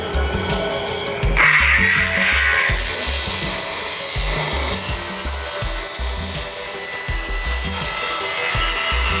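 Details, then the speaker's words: Cordless saw on a track cutting wood under load; steady high-pitched whine with no drop in pitch, blade doesn't slow down at all, lots of torque, motor holding speed fine. "nothing to it feels good and i gotta tell you this is the thing no blade slow down at all a lot of torque"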